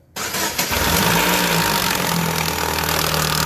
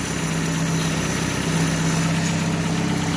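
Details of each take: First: 2015 Chevrolet Aveo with the timing belt cover removed: right after start, a fast light tapping about four per second over the idle, sounding like lifters; the loose timing belt is slapping the cover, not lifters or bearings. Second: 2015 Chevrolet Aveo after re-tensioning a loose timing belt that was slapping the cover (tensioner bolt had loosened; not lifters or bearings): steady, even idle with smooth low hum, no tapping; normal idle.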